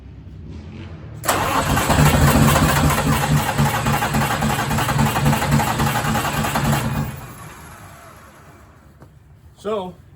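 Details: Detroit 6V92TA diesel in 1959 Plymouth Belvedere, one injector still missing: catches after a brief crank, runs lumpy about five seconds then dies; dead cylinder from the removed injector.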